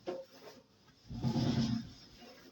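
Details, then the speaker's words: Candy tumble dryer, cold: drum gives a sharp knock then low rumbling scrape and rattle as it turns; cheaply built, plastic drum guide and poor rubber bearing mounts, badly made drum. "Problem ist nur die sind absolute Klapperkisten und hier leider Gottes ist in schabgeräusche boltergeräusche"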